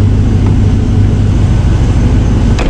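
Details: 2001 Chevy Silverado truck running just after fuel pump and filter replacement. The engine holds a smooth, even low rumble with no stumbling or hesitation, so it is running cleanly and normally.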